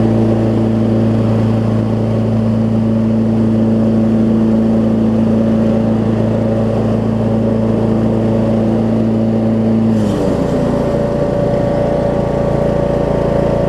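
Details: Craftsman T2200 riding mower with a Briggs engine, after cleaning gel-gummed Nikki carb that caused surging: smooth, even drone holding steady at high throttle, settling cleanly as throttle drops; new exhaust gasket fitted, possible slight exhaust leak.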